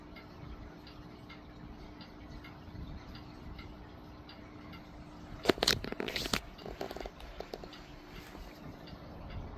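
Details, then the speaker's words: Vintage Lakewood Country Aire C-720-3 three-speed box fan with Westinghouse motor, on low speed: soft steady low hum, brief handling bump midway; normal running on low speed. "Yeah, imagine that running on low in your window. It's wonderful."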